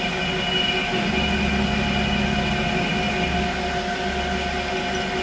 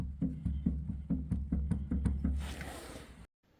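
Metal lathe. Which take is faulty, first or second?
second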